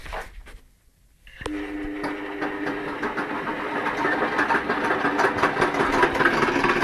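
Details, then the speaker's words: Nipkow disc mechanical televisor motor on power-up: after a quiet start it spins to a steady hum with a rhythmic ticking rattle; wonky, off-center, angled pulley cog rocks the spindle and belt; builder may replace the cog. "you can hear, it's quite noisy. The belt is actually rocking back and forth too, but staying on the cog, thankfully."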